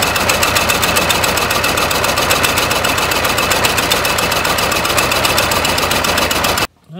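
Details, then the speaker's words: 1920 Ford Model T barn find, sat about 10 years, first start: fast uneven popping at about four a second with missing strokes, firing on about three cylinders; misfire because number three cylinder's intake and exhaust valves stuck open, low compression. "okay so we're trying to get te- started it's only hitting on about I don't know three cylinders pop the back valve cover off there's a front one there's the back one and number three both valves are stuck open"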